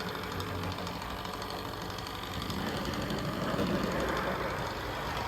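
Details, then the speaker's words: Walthers Trainline Soo Line FA-1 model locomotive after repair and 20 minutes running each way: runs smooth but fast light ticking about four per second over motor hum, louder with speed; ticks without shell too, nothing rubbing, drive gears suspected. "it's still smooth but you can hear that you can hear that we tick noise maybe it'll disappear over time we'll see definitely gets a bit louder the faster it goes"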